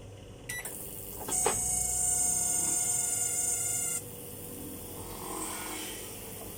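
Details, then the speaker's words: Noisy microwave, cooling fan motor removed and spun while held with pliers: shrill steady whine for about three seconds then fading; green deposits found inside the motor, cleaned off with sandpaper as the fix. "เราก็มาลองว่ามันหมุนมีเสียงดังไหมโดยการจับเอาคีมจับเพื่อให้อย่าให้มันสะบัดเรามาลองดูว่ามันมีเสียงไหม"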